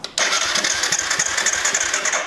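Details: Quad being started after a fuel pump check, with the tank refitted and fuel added: fires on a hard crank with fast, ragged popping and rattle that struggles to settle; hard starting, cause unconfirmed, though a bad piston is now ruled out.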